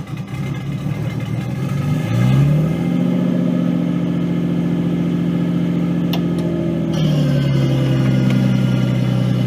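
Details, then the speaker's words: Nissan 240SX S13 with an RB20DET swap, starting after a battery charge and fuel pump hookup: brisk cranking, then it fires cleanly, revs up and settles to a steady, even idle. Normal start; transmission whine is noted separately. "But it started right."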